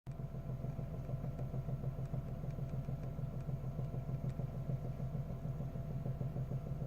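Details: Engine knock on cold morning start that disappears as the engine warms; heard only from inside the cabin, not with hood open: steady idle with a faint regular knock about three times a second over a low drone; cause unclear.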